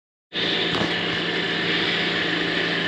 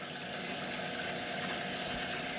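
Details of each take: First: B&G circulator pump: steady loud hiss-and-rumble with a gritty edge from start-up; the bearing assembly is worn and noisy after motor mounts and coupler were already replaced days earlier, so bearing assembly and impeller are being replaced. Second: B&G circulator pump after replacing the bearing assembly and impeller (motor mounts and coupler replaced earlier): smooth, even hum and water rush with no knocking or grinding, pumping normally.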